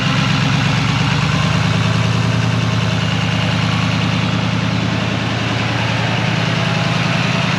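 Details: 2020 Chevrolet Silverado 3500 SRW, L5P 6.6 L Duramax turbo diesel with a Banks intake and larger Banks turbo pipes, held near 1,000–1,500 rpm for a boost-leak check: steady diesel clatter rising smoothly, no hiss or whoosh; runs healthy.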